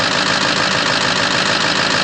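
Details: 2006 Ford F-550 6.0L Powerstroke diesel idling after a blue spring kit install in the fuel pressure regulator, repairing a destroyed O-ring bypass leak that gave 45 PSI or less; now 65 PSI. Even clatter with no misses or surging, running healthy.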